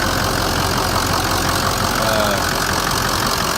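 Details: Cold start after repairs including a new coolant pump, fan clutch, thermostat, Y pipe, hoses, heater core tubes and oil cooler on a cold day: steady, even idle with a smooth hum and no knocks, ticks or squeals.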